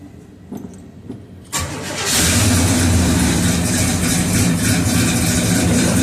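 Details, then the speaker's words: 1969 Oldsmobile 442 V8, restarted warm about half an hour after timing work, with new plugs and compression of 150 psi (145 on number two): it cranks briefly and settles into an even burble, running a little rich with a nice cam; normal warm start and idle. "It sounds good. Like I said, it's a little rich. That's why I gotta play."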